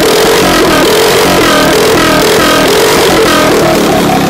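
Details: Harbor Freight 212cc engine with stage 1 mod (bugle-tip exhaust, jet kit in the stock carburetor, breather air cleaner): loud, crisp, steady exhaust beat at an even speed with no misses or knocks; running just right.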